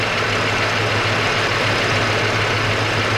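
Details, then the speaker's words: Dodge Cummins at idle, louder on the right side: steady idle with a fast, light ticking over the engine note; suspected valve train or rocker noise, to be checked by pulling the valve cover, not confirmed. "So the mystery could probably be found by pulling this valve cover off. Have a look at those rockers. Sounds like valve train noise to me."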